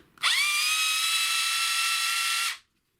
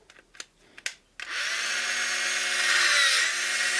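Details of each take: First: Black & Decker BD405R cordless drill from about 1985, unused 20 to 30 years, before repair: strained, high motor whine that droops as it spins up, harsh and effortful. Suspected gearbox grease gone solid over the decades; unconfirmed. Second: Black & Decker BD405R cordless drill from about 1985, unused for 20–30 years and seemingly seized, after disassembly and reassembly: short runs of a clean, steady motor whine that spools up and down smoothly with no grinding or rattle. Running healthy.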